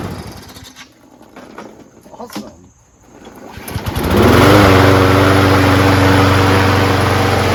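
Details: Free trash-find Craftsman self-propelled front-drive mower with 6.5HP Briggs & Stratton Quantum engine, after carb clean, primed and propulsion tested: some clatter, fires near four seconds, then settles into an even, steady drone with no misses; running healthy.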